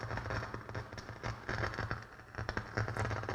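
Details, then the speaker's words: Pioneer SX-727 receiver, first evaluation: with the volume down, irregular crackling, popping and spiking over a low hum from the speakers; static suspected to come from the preamp, not yet traced. "volume all the way down and you can hear that we definitely have some static here let's turn it back up"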